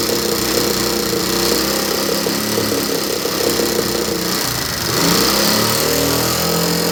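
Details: Chinese single-cylinder motorbike that won't rev or pull under load: a buzzy, ragged, hollow idle with the sound coming out of the air filter instead of the silencer; a very bad sound, fault not yet diagnosed.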